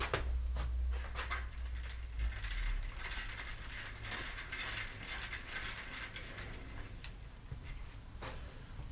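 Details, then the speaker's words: Bicycle rear wheel spun by hand: dry, uneven ratcheting and grinding from the rear hub at about two clicks a second; rough hub noise, cause not yet known. "so halb läuft fortsetzung des diamanten den alptraum dem ich das hinterrad wie gesagt das hört sich nicht gut an"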